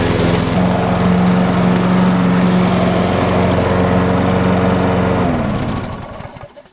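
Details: Craftsman 6.75 lawn mower that would not start after winter storage, after carburetor cleaning (a clogged port or jet, bottom one suspected): fires up and runs steady and even with a smooth regular beat, then winds down cleanly when shut off.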